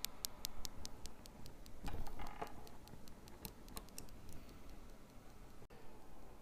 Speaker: clicking sound is very distinct but you don't have to stack the coils to hear the clicking sound you can hear the clicking sound even if the coils are separated each individual coil will make the same clicking sound this is not unusual this is part of the physics of the operation of Isis technology